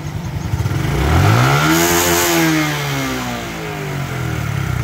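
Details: Honda Future 2017 (ECU v021) after an ECU remap that opens the rev limit: the small single revs smoothly to a high pitch, holds briefly and drops back, pulling cleanly past the old limit.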